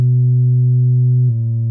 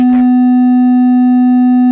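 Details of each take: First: Harman Kardon Onyx Studio sealed speaker on a frequency-generator sweep at about 50% volume, stepping down from 250 Hz through 125 Hz to about 105 Hz: a clean, steady low hum with no buzz or rattle, showing normal bass response for comparison. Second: Defective Harman Kardon Go + Play Bluetooth speaker, covers off, low test tone sweep around 95 Hz: thin buzzy sound with almost no bass though drivers visibly vibrate.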